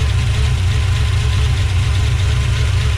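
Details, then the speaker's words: 1970 340 Duster V8 with adjustable rockers and heavy blow-by: a heavy, lumpy idle. A water-spray test shows two cylinders dead and pairs 2/8, 4/6 and 1/7 weak; valve lash is to be checked. "take a squirt bottle full of water make it a fine stream firing those two are dead"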